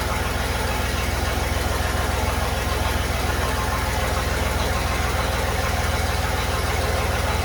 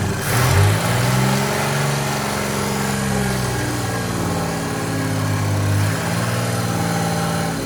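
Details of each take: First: Chevy 4.3L V6 swapped into a Willys CJ5, exhaust only run halfway back with no tailpipe or muffler. Low, slightly lumpy, lazy idle with a dull pulse. Retarded timing: the distributor cannot rotate far enough to advance it. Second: Chevy 4.3L V6 swapped into a Willys CJ5 Jeep, after setting timing to about 4° before top dead center; steady, even smooth idle with no stumble or miss, runs much better, normal idle.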